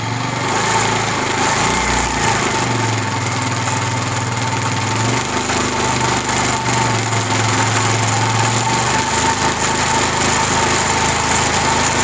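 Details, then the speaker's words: Motorcycle on the stand, running in gear with clutch worked: uneven tak-tak knock over the engine, normally appearing under load or uphill, caused by a worn front sprocket. "जब थोड़ा सा motor bike को जोर लगता है या चढ़ाई के ऊपर जाता है तो टक टक टक की आवाज आना स्टार्ट हो जाती है"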